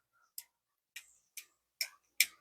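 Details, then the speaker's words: Spinning-reel anti-reverse, comparing an Okuma Avenger 3000 with a budget off-brand reel: five sharp dry clicks about half a second apart, each with a slight lag before catching. One reel's anti-reverse slips while the other engages instantly. "you can hear that little bit of slip, and there's just nothing here. It's instant."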